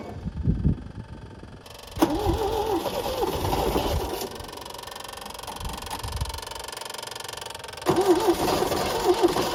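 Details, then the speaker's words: 1974 MGB roadster parked 30 years, hot-wired, new points, rotor and plugs: bursts of cranking with brief ragged catches after starting fluid is sprayed down the carb throat, dying away; owner suspects the fuel pump isn't delivering fuel. "all right this time I spray some juice right down the throat let's see if it makes any difference oh it tried to hit"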